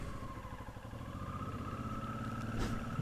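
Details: Motorcycle recorded on a helmet camera mic, after valve adjustment following a couple-thousand-mile trip, during which the rear cylinder's exhaust valve was tightened. Quiet, even engine note rising gently, the earlier rpm-dependent noise gone: normal running.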